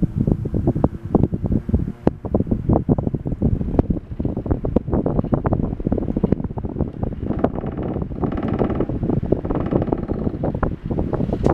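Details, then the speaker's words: Samson Safe-flex 10-inch single-speed table fan with rubber blades, held down by hand while running: a strong rush of air over constant irregular rattling and clattering. Excessive vibration; hardened base rubber grommets suspected. "I have to hold it down because I think the rubber grommets on the base are pretty hard yeah either way it vibrates a lot"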